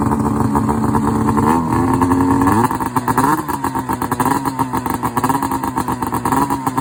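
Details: Rotax 670 two-stroke in a Ski-Doo Summit snowmobile, started cold at about 30°F after priming and several pulls: raspy, busy buzz, revs wavering slightly but holding steady without dying or sputtering; normal running after cold start.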